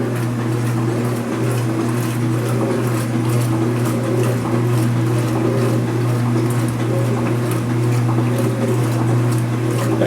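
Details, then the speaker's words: Speed Queen washer agitation cycle after a repair of its former loud rattling: a steady low motor hum with soft sloshing and no rattle or knock, with the microphone at normal distance. It is running normally and quietly. "here it goes same Sani microphone no noise all in a normal distance now I have the microphone near the"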